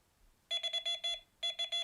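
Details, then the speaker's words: Delkim carp bite alarm with sensitivity turned up, line tapped: a quick run of six high beeps, short pause, then three more; alarm responds normally without false beeps. "just tap the line and I get some indication. Again, if I move this quite slowly, I'm not getting, oh, it's very difficult to have a steady hand, but you can see I'm moving that quite a lot, and I'm only getting 1 or 2 beats"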